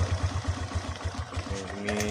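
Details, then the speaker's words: Suzuki Skydrive 125 scooter, kickstarted after a CVT service; steady, even low putter at idle with no knocks or grinding, a normal, healthy idle. "Oke, ini oke, untuk kecepatan idle , seperti ini. Suara saat diam."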